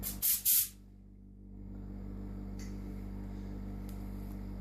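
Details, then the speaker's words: Danish air compressor from 1969 built from a refrigerator compressor and butane gas tank, pressure switch faulty: short air blast, then low steady quiet hum with no knocks while building pressure and warming slightly; very silent, healthy. "getting a bit warm as it's supposed to be it's compressed air and if you compress something it gets warmer but yeah it's very silent and i think my neighbors will like it because it don't sound so much"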